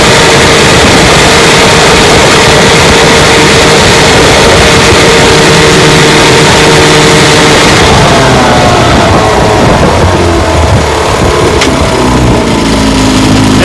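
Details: 1954 Johnson QD-15 10 HP two-stroke outboard after restoration, pushing a 14-foot boat about 17 mph: loud steady buzz at speed, easing off smoothly near eight seconds; runs strong and clean.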